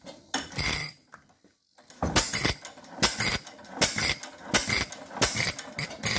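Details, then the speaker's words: Fairbanks Morse 6 hp Model Z hit-and-miss engine, hand-started at compression with fuel valve at one-eighth turn: sharp firing bursts with metallic clatter spaced by quiet coasting gaps; starts and runs normally. "so now i'm going to start it up once you get to compression you yank it down and it should start right up"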